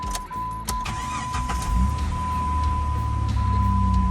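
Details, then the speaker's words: Jeep WJ Grand Cherokee after installing a Viper Coil Mod in place of the stock coil pack: quick crank, catches and holds a steady, even idle with no stumble or misfire; normal start and idle. "Solid, good to go. All right, so it's idling good. That feels really good."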